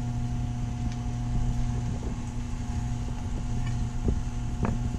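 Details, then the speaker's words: Taco circulator pump on a heated driveway snowmelt system, tested before startup: steady low hum with a faint higher tone under light clicks; pitch changes when pushed, so possibly vibration through the copper piping, not air; water movement through heaters is normal. "see i think a lot of the water movement that i'm hearing is it moving through the heaters which is normal i mean there's a lot of stuff going on in there the part i'm not sure about is the hum you hear the humming"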